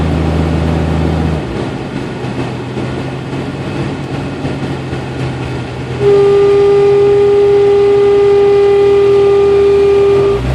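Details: 1992 Jeep Cherokee with A/C on, engine running: loud steady fixed-pitch whine starts and holds; intermittent, mostly at low rpm or after a quick rpm drop, stops when A/C is cycled, caused by an overcharged system flooding the compressor with liquid refrigerant.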